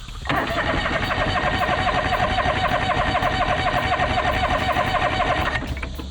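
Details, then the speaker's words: John Deere 425 all-wheel-steer lawn tractor cranks steadily at about four beats a second but never fires; no fuel came from the fuel filter and the tank was dry though the gauge read a quarter, so fuel starvation; gas being added. "all right so we're giving it some gas to see if that makes a difference cuz we um checked at the fuel filter and no gas was coming out I checked in the gas tank and it's dry even though the gauge said it had a quarter"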